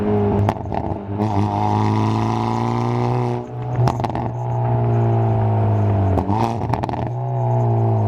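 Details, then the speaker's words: Hyundai Veloster N with Depo Racing catless downpipe, flex pipe and JB4 tune, in N mode, recorded in cabin while accelerating: loud raspy exhaust pulling cleanly through revs, no ticking or leak; normal exhaust. "Alright boys, so this is what it sounds like in N mode. Loud in the cabin."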